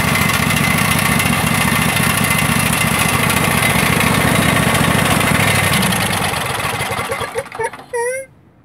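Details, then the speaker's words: Craftsman DLT3000 riding mower small engine runs steadily at a fast even pace then shuts off; some smoke from water and oil in exhaust; after ethanol fuel damage, backfire solenoid, main jet, fuel lines, tank grommet replaced. "most craftsman runs doesn't run too bad is smoking there a bit some water and oil gotten exhaust and headed up on its side"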